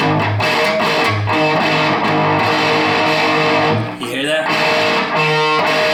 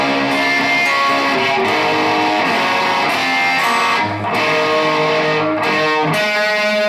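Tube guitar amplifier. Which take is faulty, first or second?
first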